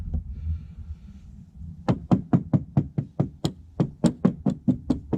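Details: Classic VW (1966 Beetle or 1984 Vanagon) lower body panel tapped by hand: hollow, dull knocks about two per second, deadened thuds from thick Bondo filler under cracked, bubbled paint over rust.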